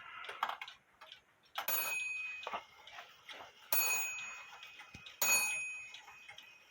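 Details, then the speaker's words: 8-day Herbert shelf clock gong, out of adjustment for a long time: four strikes ring briefly and die off flat, a dead ring because the hammer sits too close to the gong, before adjusting the hammer wire. "you hear you hear that it wasn't a vibrant sound it was like a dead ring sound"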